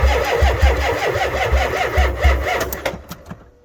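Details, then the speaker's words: Ford F350 7.3 IDI diesel, cold at about 15°F, weak batteries on charger booster, some glow plugs suspected bad: slow heavy cranking about four beats a second with a few weak catches, then winds down; no start. "well, she wanted to go, just wasn't quite enough. We'll have to let those batteries charge up and try it again."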